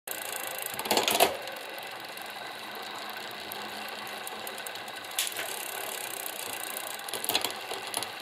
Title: Tern Verge P20, post-cleaning rattling noise in derailleur